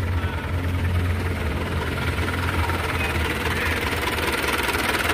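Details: 2003 Mazda BT 4x4, 2500 cc turbo intercooled diesel with conventional manual injection pump (same as Ford Ranger TDI), after glow-plug start: even diesel clatter at idle, steady low throb, no irregular knocks or misses; healthy engine.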